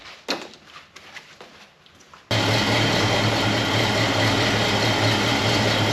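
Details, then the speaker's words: 1970 Mustang convertible started on jack stands after an oil change: light clicks, then it catches and settles into a smooth even idle with no knocking or misfire; good oil pressure, no leaks seen. "Good oil pressure. I don't see any leaks."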